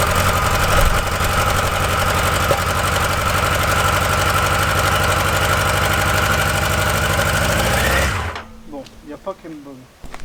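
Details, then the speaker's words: XGR four-cylinder on its first ride, cold start on choke, with the owner still testing injection richness. Uneven, stumbling beat with a hollow, lopsided exhaust like a dead cylinder before shut-off. Misfire cause unconfirmed. "moi je sais pourquoi ça fait c'est vraiment chelou ce bruit he arrêtons le massacre"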